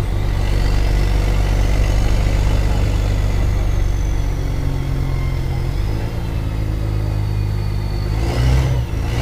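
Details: Mercedes-Benz O-500MA bus diesel engine, loud deep rumble rising and falling with revs, with a raspy blowing edge from a holed exhaust.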